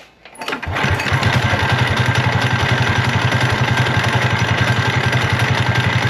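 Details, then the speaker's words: Mini bike small single with stage 1.5 kit and torque converter: after pull start, harsh heavy knock about three or four times a second; crankshaft snapped in half. "But the other day when we did our other minibike video with my buddy Dylan's $50 minibike, this thing started making a god-awful noise."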